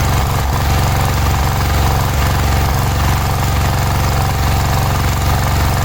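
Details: Cub Cadet 1106 riding lawn tractor (1987; listed as 1986), sat over 4 years, bottom carburetor adjustment screw ineffective: small engine chugging with an uneven, lumpy beat and occasional stumbles at idle. Rough running; owner suspects old fuel drawn through fuel line.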